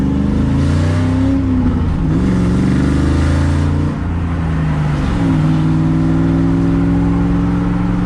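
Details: 2001 Ford Mustang Roush 4.6L 2V V8 after installing new MSD Blaster coils and fresh spark plugs to cure a misfire: deep burble climbs cleanly on each throttle blip and settles evenly, no stumble or miss; normal running.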